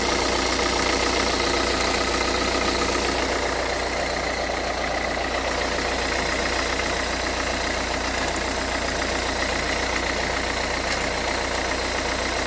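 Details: 2011 Renault Kangoo, 1.5 dCi 86 hp, under 100,000 km, hot: an uneven, lumpy idle about four beats a second. The owner suspects a Delphi injection pump fault (metal filings, foamy or aerated fuel). Glow plugs, preheat timer and primer bulb have already been checked or replaced.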